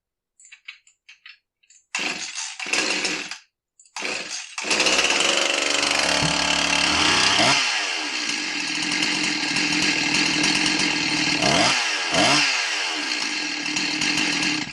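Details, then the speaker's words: Husqvarna 346XP chainsaw that won't idle: over the high buzzing run and throttle blips, a tinny clanking, tinging rattle often confused with a bad bearing or piston slap; source not pinned down; metallic rattle. "Yeah, that thing rattled. Listen again here. So that one spot in the audio waveform there represents that clankety, tinging noise, whatever you want to call it."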